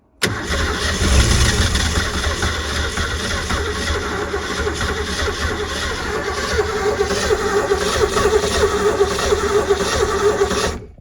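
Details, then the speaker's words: 1989 Supra TS6M ski boat, about 1300 hours, once sunk and long abandoned, on rigged fuel supply into carburetor; catches right away and runs smoothly with no stumbling; fuel pump later suspected not picking up fuel. "see if this fuel pump works you know rained a little bit last night in the carburetor so see how that goes still runs dang good"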